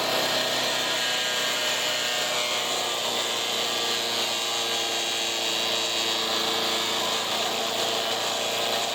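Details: Resurrected direct-drive wood chipper, 90s engine with adapted 50s carburetor, warmed up: loud, steady drone under heavy rushing hiss, even and unbroken; runs well but owner couldn't make it quieter.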